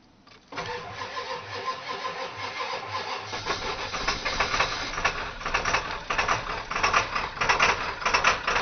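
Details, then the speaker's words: 1997 Ford F-250 XL 7.3L PowerStroke turbo diesel (T444E), cold start around 49°F after three glow plug cycles: stumbles and lopes unevenly around ninety thumps a minute before settling; rough, misfiring start blamed on known bad injectors. "it started better than it usually does cuz it is on bad injectors it don't sound good though but that's because that's because the damn injectors are bad on it"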